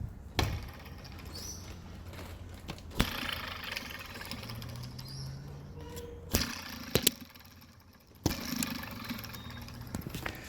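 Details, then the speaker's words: Removed idler pulley from a Ford BA/BF Falcon Barra engine spun by hand; between handling clunks it gives a dry, gritty rumble as it spins down. The bearing is dead. "you can hear, it's dead."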